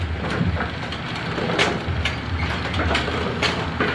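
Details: A2 bowling pinsetter on lane two, after repair of no-power fault (bad motor contactor) and failure to stop at 180°: irregular mechanical clunks and thumps over a low motor hum as it cycles cleanly and stops at 180°; normal cycle.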